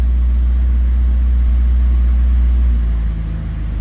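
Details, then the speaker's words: Miata after cleaning the intake air temperature sensor: idle jumps to a steady 3000 RPM, then note drops as it is shut off; high idle, followed by code P0118 with coolant temp sensor reading -40F. "And there we go. It then jumped to 3000 RPM. Jumped up. So we'll go ahead and kill it, because we don't want this to keep going."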